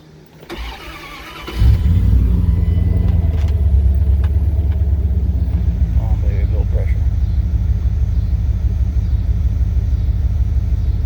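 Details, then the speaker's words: 1999 Dodge Durango V8 first start after intake replacement (was using a quart of oil every 250 miles), fuel system primed; brief crank, catches and settles into smooth, even, deep idle, no ticks or misses, left to warm up. Normal start and idle. "Alrighty, we are running. I'll let it sit here and warm up."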